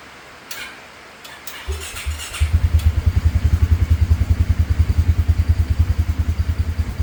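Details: 2017 Polaris Ranger 570 EFI, no codes, hard to start, idling around 950 rpm before fuel pump replacement; engine catches into a pulsing idle about three beats a second that rises and sags unevenly; rough idle, fuel pump suspected.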